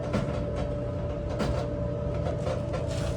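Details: Whirlpool WED5100HW0 dryer running with a steady hum and irregular scraping bursts from a broken blower wheel rubbing in its housing; the blower was replaced.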